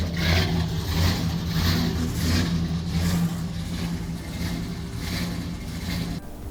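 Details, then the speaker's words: V8 truck with an aggressive camshaft, in closed loop on oxygen sensors before tuning: lumpy idle surging and hunting about once a second, choppy and worsening; running rich (negative fuel trims around -15%), fuel to be cut about 20% in the VE table. "This thing is running real choppy, not happy, jumping around. And it's getting worse."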